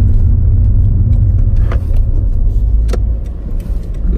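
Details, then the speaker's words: Toyota Auris test drive after fitting a second-hand gearbox with fresh 75W GL-4 gear oil: steady low drone with no scraping or grinding. The previous gearbox scraping is gone and operation is normal. "yeah it's no scraping anymore"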